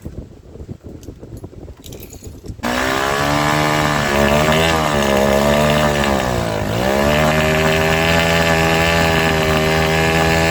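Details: Honda Sonic 125, repaired three days earlier, then would not start after standing; new carburetor had flooded from dirt, fuel line replaced and inline fuel filter added: small single-cylinder catches after a few seconds and holds a steady run with throttle dips, running normally.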